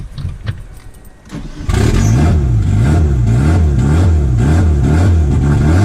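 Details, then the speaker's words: 1991 Mitsubishi Galant VR-4, custom turbo, E85 tuned, speed density, first start after installing semi-built AWD transmission, intercooler piping not yet fitted: catches and settles into uneven idle pulsing about four times a second; rough idle, missing intercooler piping suspected. "I think I'm going to put that intercooler piping on so I could get it to idle I think that's why the idols off"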